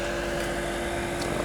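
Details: Chinese diesel heater for a camper van at startup with the glow plug preheating, before the fuel pump starts clicking: a steady, even fan hum with clean tones and no roughness. Normal fan run.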